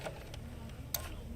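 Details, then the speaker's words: Apple HomePod with a reported odd noise after playing, plugged back in: a single sharp click over a low hum as the power supply's relay pulls in. Power is arriving and the supply later measures 50 V where 48 V is expected. Normal relay click. "Oh, I did hear it click. So, the power supply is getting power. Enough power that it's clicking on a relay."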